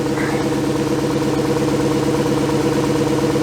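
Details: 2004 VW Touareg V8 with codes P0300/P0302, idling: an uneven, lumpy beat with about two stumbles a second. An ignition coil misfire is believed to be the cause, not confirmed.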